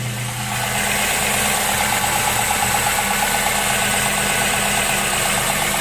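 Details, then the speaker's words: 2008 Ford Fusion 2.3 after oil change with cartridge filter, oil light off, P0420 catalytic converter code present: smooth, settled idle with steady hum, no ticking or knocking; engine sounds healthy. "Motor sounds really good."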